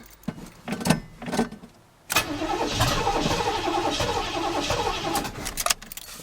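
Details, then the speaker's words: 1984 GMC truck started with a weak battery on charger boost and gas poured into the carburetor: a few slow cranking bursts, then it catches and runs unevenly for a few seconds before fading; it runs only on the primed fuel. "me put some more in the car one more time ran longer"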